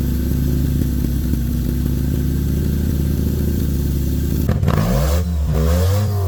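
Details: 650cc Joyner side-by-side engine after a head gasket replacement and a 55 A Toyota alternator upgrade, test run to check charging: steady idle and clean revs that rise and fall smoothly, no knock or misfire. Running normally.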